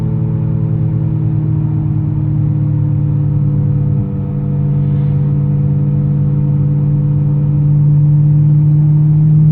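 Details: Audi S5 4.2L V8 while driving: a steady, organ-like high-pitched whine from the engine bay. It starts above 40 km/h and grows louder with speed, holding its pitch over road noise. The cause is unknown.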